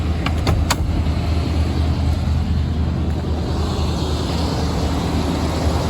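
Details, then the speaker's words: Cold-start idle of a 1992 Chevy Silverado K2500 3/4-ton 4x4 with a Chevy 350 V8, about 40,000 km in the last 8 years: a deep, even rumble after a few early clicks, no knocks or misses, no smoke. Sounds healthy. "See if we can hear the engine roar in this thing. Ooh, she's not bad."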